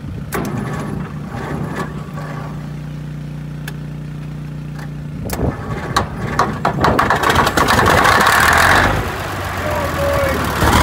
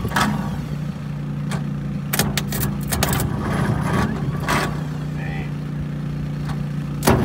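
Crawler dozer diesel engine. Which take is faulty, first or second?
second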